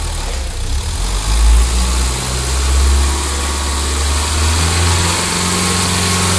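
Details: Mahindra XUV500 diesel after engine overhaul (earlier overheated from coolant leak, tak-tak knocking): steady, even idle with smooth low beat, no knocks or rattles; healthy.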